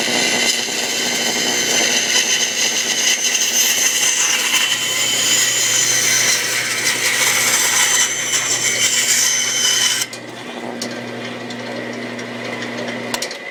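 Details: 1948 Delta Milwaukee 14-inch vintage bandsaw on open steel stand, cutting curves in oak: even motor hum with a smooth rasp through the hardwood, then quiet freewheeling; normal cutting operation.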